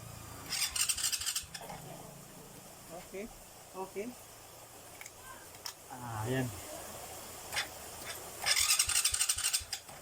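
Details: Starter motor cranking: two short, harsh, high-pitched whirs with scattered clicks; owner plans to grease the starter. Noisy starter motor, cause unconfirmed.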